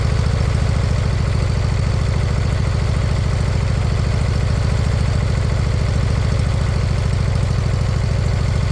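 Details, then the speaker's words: Briggs & Stratton Intek V-twin, fitted in place of a blown-up Kohler Courage, idling with loud, even low thumping and a faint rise and fall in speed; slight surge from stale fuel, expected to clear with use and fresh gas. "Surging a tiny tiny bit, but that'll come out of it. Just get a little exercise through it. Get some fresh gas through it."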